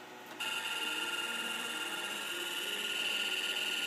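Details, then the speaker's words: MFM hard drive in a 386 crammed into an IBM XT case, during media analysis after format; rapid uneven chattering ticks over high whine as heads sweep the whole disk; abnormal seek, cause unknown. "Yeah, it just doesn't sound right. Maybe that drive is just noisy. I don't... No, it's doing seek. It's going back and forth across the..."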